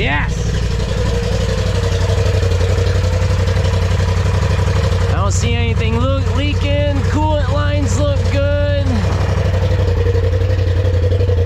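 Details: 2020 Polaris RZR Turbo S after Evo Stage 6 Dynomite 2.0 turbo kit install, first start on 91 tune with mostly 110 fuel: steady deep rumble at settled fast idle, no knocks or rattles, a brief tonal wail on top; no leaks, sounds good; normal.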